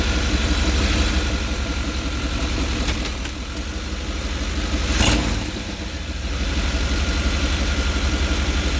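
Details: 5.7-liter TBI V8 idling with the interior engine cover removed: louder than normal, with a low rumble and a raspy puffing edge that rises with revs; exhaust leak somewhere in the engine compartment.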